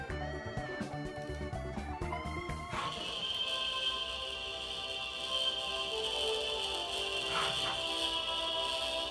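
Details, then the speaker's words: 1998 Apple iMac G3 internal speaker playing music from iTunes before replacement: buzzy, fizzy, harsh rattle on every note, a loose cone from the disintegrated foam surround. "yeah that rally noise that terrible crash rattling noise you're hearing that is a sad phenomenon called drive a rock"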